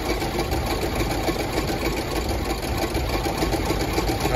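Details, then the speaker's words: Land Rover LR4 started cold: lumpy, clattery, stumbling running, then stalls; owner suspects timing chain slap rather than a blown head gasket, not confirmed; rough running then stall. "not liking something and it just died on me well I'm going to restart it"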